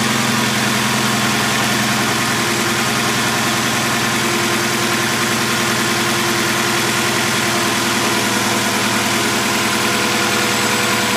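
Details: 2000 Acura Integra idling with an uneven, stumbling beat and repeated skip; misfire, and pulling cylinder 1's spark plug wire is the only one that makes a difference.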